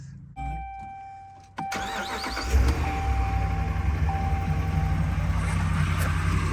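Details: 5.7 HEMI Ram 1500 after resurfacing warped exhaust manifolds, replacing broken studs and fitting new gaskets: chime, crank and start, then a steady deep idle with no exhaust manifold tick anymore; normal idle after repair.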